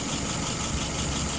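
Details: WO 636SA carburetor after its second rebuild, idling at about 675 rpm with fuel pressure about 2.5 and vacuum 23. A steady, even low-rumble idle with no misses or knocks.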